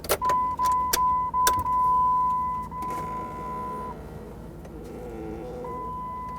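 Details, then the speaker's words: 1999-2004 Jeep Grand Cherokee (2002) new HVAC blend door actuator behind glove box, battery reconnected and ignition on: thin steady whirr for seconds, stops, resumes briefly as the actuator motor self-adjusts to the old unit's position. "now we're going to reconnect the battery and then we're going to turn turn the ignition key on and this should automatically adjust to the position that the old unit was"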